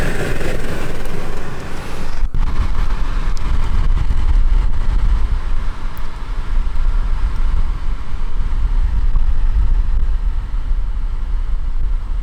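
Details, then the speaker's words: 2017 VW Golf Alltrack (MK7) newly replaced HVAC blower motor powered at max speed: steady even rush of air with no ticking, scraping or wobble; running smoothly and healthy. "It sounds like it's making noise, but that's just the motor. That's fine. Alright, I guess it's the sound of airflow."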